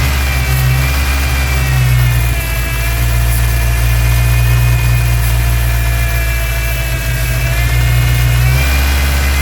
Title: massive vacuum leak on '99 Ford ranger 2.5 July 6, 2024